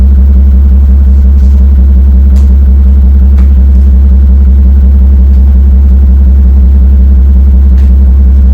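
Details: Mercedes-Benz SL600 R230 V12 biturbo with no power and misfires on 5 of 6 passenger-side cylinders; the broken, glued top MAP sensor is replaced; deep steady idle with a lumpy uneven beat of about three pulses a second from cylinders dropping out.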